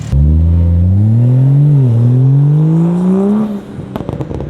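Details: 2021 Toyota Supra after repair of its broken 4-inch single-exit exhaust, which rattled: revs climb smoothly, dip and rise again, then sharp pops and crackles on lift-off, with no rattle. Normal exhaust.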